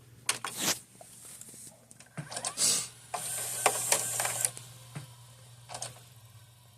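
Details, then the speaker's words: Magnavox DVD/VCR combo: steady motor hum with whirring and clicking as the tape loads and wraps around the drum, then quiet as the unit switches itself off; cause not yet identified. "you see it turns off again press you press the power button again and just like that"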